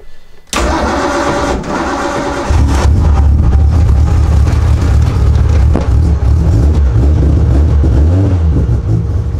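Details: RB28 billet-block turbo six with Garrett G42 1200 turbo, double Supertech valve springs and drive-by-wire ITB kit, first start through a temporary muffler; brief crank, catches into deep slightly lumpy idle with blips — normal start-up.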